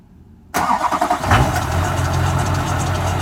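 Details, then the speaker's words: 2001 Chevy Duramax diesel at 20°F after a 16°F night, plugged in overnight and unplugged just before starting; several seconds of cranking, then it catches quickly and settles into a steady even idle. Normal cold start. "Pretty good results. When I turn the key over, there's no wait to"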